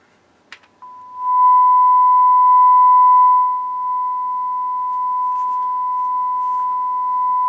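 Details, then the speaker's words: Harman Kardon HK3600 stereo receiver with many failed caps: steady test tone that suddenly drops in loudness and stays lower, as a faulty pot cuts out a channel. "That's supposed to be right, that both channels are on. That's left. Oh, it's a messed up pot. And we got both channels are going."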